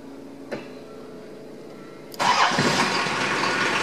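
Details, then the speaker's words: 1981 Datsun/Nissan Maxima wagon, 2.8 L diesel, automatic, after replacing the broken injection pump timing belt, started after glow plug wait; starter turns and diesel fires promptly into a steady, even idle clatter, healthy start. "when we turn the key and see the glow plug light glows we'll wait for that to go off it looks like this went off oh and this is an automatic"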